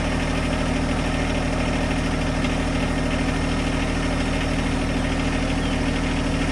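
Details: John Deere 1025R compact tractor diesel, started cold to cycle fluid through the filter: even, rapid idle clatter with consistent beat and no misses; normal idle.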